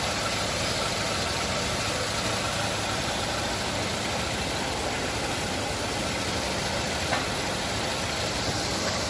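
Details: Nissan Navarra being repaired for misfire code P0304: steady, even idle with no stumbles or missed beats; the engine sounds like it is running smoothly on all cylinders.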